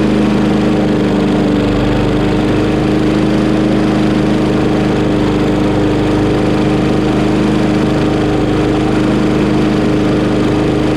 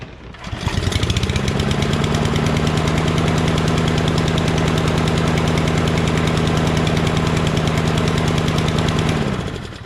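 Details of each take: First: Craftsman Briggs 550EX push mower after a new plastic carburetor replacement, shortly after a cold start, choke opened within 30 seconds: steady, even single-cylinder running with no misses, surging or knocks. Works fine. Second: Murray mower fitted with a Briggs engine: the choke stays on for about a minute after starting, so it chugs at a steady, heavy, low beat without picking up speed; stuck choke, running rich, revs up high a minute later.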